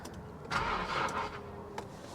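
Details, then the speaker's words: 2010 Infiniti G37(S) manual, salvage-auction car listed as run-and-drive, on a jump pack with 12 volts present: a short burst of cranking dies away without the engine firing; crank, no start. "She doesn't want to run. Okay, well, she doesn't want to cooperate."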